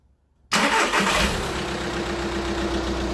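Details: VW Scirocco 2.0 TDI on first start after replacing a failed water pump and the timing belt: catches at once and settles into a steady, even idle with no knocks or rattles; normal start and idle.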